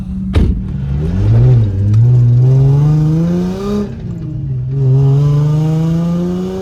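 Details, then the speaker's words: Nissan G35 sedan drift car with VQ35DE engine, test drive after engine/transmission removal and reinstall with new engine mounts and stock exhaust manifolds; revs climb smoothly through all six gears, no knocks or grinding: normal acceleration. "Car has all six gears, engine mounts help, and it sounds way better."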